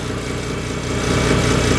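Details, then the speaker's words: Cat DP150 diesel with suspected slipping 3-speed transmission, having lost all speeds: fires right up, steady even idle with low smooth hum rising slightly and settling, no knocking, ticking or misfire; engine normal. "see if she starts oh that's good news fired right up as it should"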